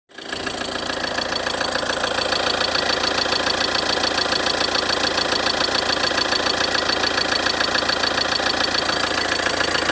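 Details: 2013 Ford Transit 2.2 diesel at a steady idle: a sharp, even knock about twice a second over the diesel clatter, a knock inside the engine, cause unknown.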